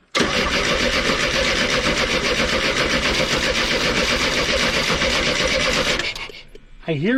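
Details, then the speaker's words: 1991 Chevy S10 pulled from a junkyard after sitting over a decade, fuel pump heard buzzing: steady cranking about four turns a second for six seconds with no firing or sputter; suspected fuel delivery problem, gas added next. "trying to spray you know how they make that sputtered yeah spray sound try it again not a nothing no spr"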